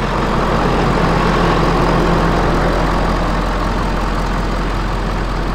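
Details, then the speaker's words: 6.7 Powerstroke diesel in an F250 (2011-14 style) on first start after an engine swap: a loud, even idle with low clatter, plus a slight cough like a blow-off valve; a normal diesel idle. "so I don't know if you guys can hear that it kind of has like a cough and it almost sounds like a blow-off valve on a like a turbo car"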